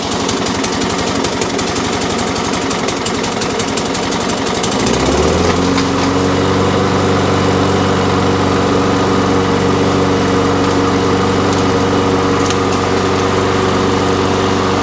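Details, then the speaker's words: Toro Recycler petrol mower after new spark plug, on choke: catches after a rough start, then settles into a steady even run; normal, likely had just been standing. "So she's a runner. It may have just been standing for a little while."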